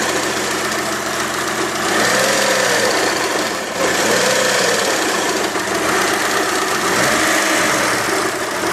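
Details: Freshly rebuilt Mitsubishi 3000GT engine at a busy idle with a fast, light tick about three or four per second; source of the tick unknown.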